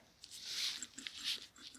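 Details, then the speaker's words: Moto Guzzi Eldorado generator teardown, belt-driven from crankshaft: hand-spun bearing gives a dry, gritty, high-pitched rasp in uneven bursts; worn, to be replaced, while the other end's bearing spins smoothly. "you can hear the noise it makes don't like the sound of that that's going to get replaced"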